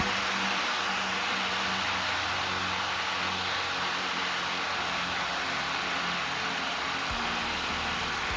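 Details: 1950s IEW Tara 16-inch vintage table fan with a DC series motor, running on low speed; a soft, even air rush with a faint low hum and no knocks or rubbing, so it runs smoothly.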